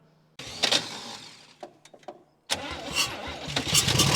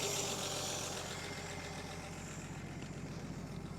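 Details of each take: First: 1959 Chevy Biscayne six-cylinder, freed from a locked-up state after sitting 20 years, day three of start attempts: choppy cranking bursts with brief stumbling catches; runs only about five seconds, needs fresh fuel and a good starter; weak starter and battery suspected. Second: 1959 Chevy Biscayne, one owner, 6-cylinder engine that was locked up after sitting about 20 years in a Kansas lean-to barn, now freed and revived: steady, even idle with an unbroken low rumble, no knocks or misses; it runs and drives, then is shut off with the key.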